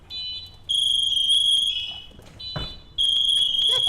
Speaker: let's say he gets trapped something falls on him and the room is full of smoke and we're going to go in there and rescue him we can't see him we hear that beeping and then it gets louder and it gets nice and then it gets louder